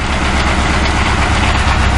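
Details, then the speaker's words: 2006 Crown Victoria Police Interceptor V8 idles with a deep, slightly uneven low rumble, recorded near the catalytic converters; engine visibly shivering: rough idle. "i'm right at the catalytic converters yeah it's running but as you can see the engine is shivering"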